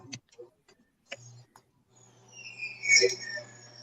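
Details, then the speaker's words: Old Bell & Howell film projector on start-up: a few switch clicks, then low motor hum with a high, wavering belt squeal over it; tired, possibly needs lubrication. "hear the belt squealing yeah i hear the is that the millennium falcon or is that your projector all right you could use a little uh grease here"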